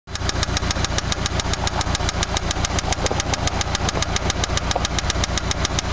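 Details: Eagle Talon ESi engine at idle before rebuild: hard, steady knock about three and a half times a second, loud throughout; worn rod bearing knock.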